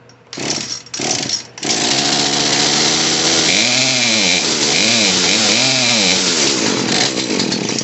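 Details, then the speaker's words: Poulan P3314 chainsaw after carburetor and fuel line repair, choke off: catches after false starts, then revs unevenly, surging and sagging; mixture screw needs another quarter turn adjustment. "needs to be turned off a little bit more let's go another quarter turn try it again"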